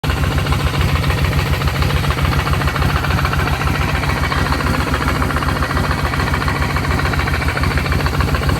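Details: Kawasaki VN1500 Classic V-twin after its engine ticking noise was solved: loud, lumpy idle with an even potato beat and no tick on top; sounds healthy.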